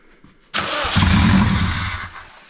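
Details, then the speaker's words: Subaru WRX first start after about 4 years stored, no exhaust, intercooler or radiator, after clearing security mode; starter whir, catches and flares then sags and stumbles out; rough idle, MAF sensor suspected. "It's not going to want to idle very well."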